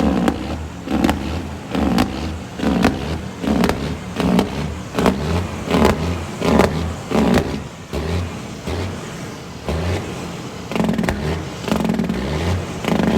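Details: Tuned diesel cabover truck, throttle held wide open with fast idle stick, check engine light on: revs rise and sag roughly once a second instead of holding. Surging, suspected limp mode, cause unknown.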